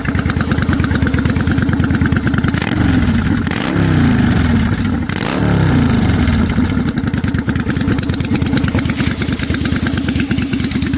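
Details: 1992 Yamaha Virago XV750 V-twin with slash-cut Jardine Rumbler pipes with baffles and Dynojet stage 1 jets, mixture screws adjusted: loud lumpy idle with deep uneven pulses and two clean throttle blips rising and falling smoothly; normal idle and revving.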